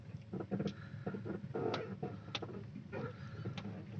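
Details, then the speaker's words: Maruti Suzuki car: short, irregular creaking groans come and go as the steering wheel is turned left and right, also while driving on rough and smooth roads; steering noise, source not yet pinned down, cause not confirmed. "चोन चोन ऐसा ग रहा है भाई कोई रो रहा है steering को काटने पे इधर उधर और चलने में भी"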